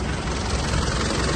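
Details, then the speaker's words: 2008 Mitsubishi Pajero Full 3.2 diesel after replacement of the timing chain kit with original parts, which had been noisy. Steady, even idle with a dense, smooth clatter and no rubbing or slapping from the front of the engine. Normal, quiet idle after repair. "olha aí ó o barulho do motor barulho silencioso Olha aí pessoal Zerou Zerou"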